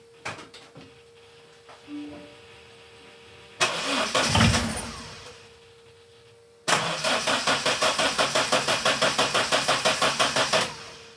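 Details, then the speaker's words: Datsun 510 on its first fire-up after ITB conversion, following fixes to zero VE and cranking cells: steady cranking about three turns a second with a brief partial catch, never running. Likely too lean, probably needs more fuel. "It did catch slightly. So, I think more fuel is the answer."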